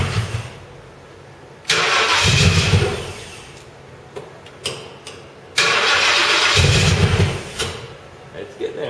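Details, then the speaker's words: Crown Victoria on first start after a full engine rebuild (previously seized engine): the engine catches and immediately races hard toward redline in two long surges without settling to idle; throttle suspected stuck open, though this is disputed. "well I mean that was that was kind of red line I'm not entirely sure why cuz your throttle stuck open"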